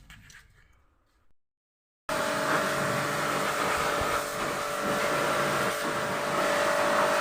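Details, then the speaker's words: Royal Enfield Thunderbird 350X single after repair of its noise problem: fires up after a short pause and runs with a smooth, even beat, no knocking or rattle; normal running, problem solved. "दोस्तों इसमें जो problem था तो वह solve हो गया हमारा customer से बात करते हैं"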